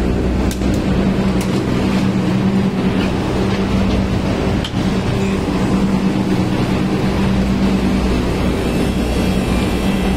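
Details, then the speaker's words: AC outdoor unit after replacing the failed compressor capacitor with a 60 capacitor; steady compressor hum under the fan's even whoosh, no clicking or stalling; compressor and fan motor running normally. "Sound আসতেছে। Compressor চলতেছে। Fan মোটরও চলতেছে।"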